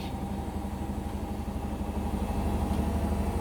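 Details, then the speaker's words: Indesit BWE101683 washing machine on a spin-and-drain after a 1000 rpm push-and-wash cycle: rhythmic thumping that swells as the drum speeds up, the machine chattering. The spin is getting very unbalanced, which the owner attributes to the uneven floor underneath. "oh it's getting very unbalanced now washing machines chattering away gone"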